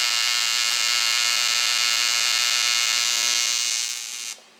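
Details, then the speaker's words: ProTIG 200 TIG welder after the operator setup mistake was corrected, gas regulator set to 35–40 while flowing, on thinner metal. Steady, even high-pitched buzz and hiss until the arc cuts off, far better than before: normal TIG welding arc. "well i gotta practice a little current control there that's working a hell of a lot better than it was before though"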